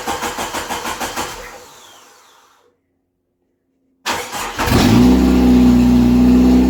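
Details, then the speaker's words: 1988 Jeep YJ abandoned for years, first start after new fuel pump, new fuel filter, blown-out lines and cleaned injectors: starter cranks, pause, then catches and runs steadily with a strong low hum; runs, but major fuel leak at pressure regulator. "whirl oh we got a major fuel leak at the regulator but other than not success that's awesome"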